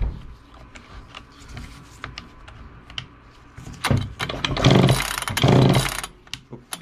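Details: 1969 Homelite EZ Automatic chainsaw on its first start attempt in 20 years after storage: a few quick rope pulls spin the engine without a single fire. It won't catch because the stop switch is still off.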